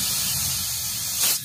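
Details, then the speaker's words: Good refrigerator/aircon compressor running with suction open: a strong, steady high-pitched hiss from the discharge that stays forceful and cannot be blocked by the thumb; compression is good, not loose. "Hindi mo kayang pigilan yan. Okay. Hindi kayang pigilan ng"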